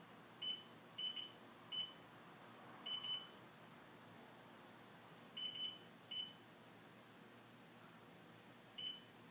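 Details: John Deere STX15F tractor that runs hot and won't start: short high beeps, single and paired, at irregular intervals with battery disconnected and ignition off; owner suspects bad voltage regulator; intermittent warning beeping.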